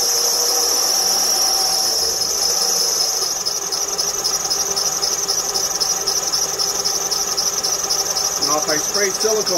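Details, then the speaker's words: 2006 Honda Ridgeline after remanufactured alternator replacement: loud, steady high-pitched belt squeal over idle; pulleys look aligned, belt, idler and tensioner seem fine; spraying belt silences it briefly; pulley alignment/groove suspected, not confirmed. "he's complaining about a belt squeal pretty significant one yet the pulley alignment looks perfectly fine by the naked eye"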